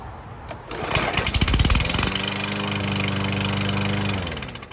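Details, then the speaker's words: Troy-Bilt TB110 lawnmower just fitted with new carburetor and spark plug, starting: sharp clack-clack knock about three times a second, then rough steady run; owner suspects piston slap, oil level full. "it sounds like a slapp in the Piston the Piston slapping this thing's a piece of junk"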